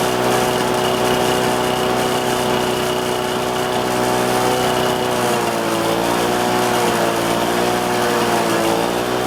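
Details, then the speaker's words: Lawn-Boy two-stroke mower with a new Chinese Dura Force aftermarket carburetor, restarted cold after about 5 minutes' earlier running, slightly on choke. Steady buzz whose pitch then wavers up and down in slow waves; the new carb did not cure the surge. Engine surging. "But the biggest thing that I'm disappointed about it is it did not cure my mower's surge at all."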